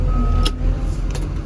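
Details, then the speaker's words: KBR 925 transmission that previously had only 2nd and 4th gears. After a wire was grounded to the ground lug, all six gears propel again. Deep, steady diesel rumble holding under load with a couple of light clicks, drive pulling normally. "sixth gear hey we have six gears and we have Propel again"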